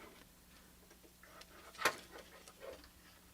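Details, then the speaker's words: Old IBM 0665 MFM hard drive on a 5170 motherboard: sharp clicks and faint ticks over a low hum as the heads bounce, the click of death, typically a bad sign. "so whenever you hear the heads bounce like that on a any kind of hard drive you know like the Click Of Death kind of thing it's typically not a good sign"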